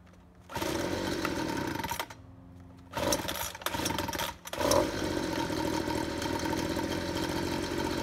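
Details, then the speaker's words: Ryobi leaf blower taken from the trash that would not rev up, after carb spray cleared a plugged, stuck high-speed carburetor nozzle. After a couple of blips, the small two-stroke screams up to full revs and holds steady without bogging. Now running healthy. "awesome that is awesome that was just simply a plug a stuck high-speed nozzle in that thing that's why it wasn't coming up to rpms"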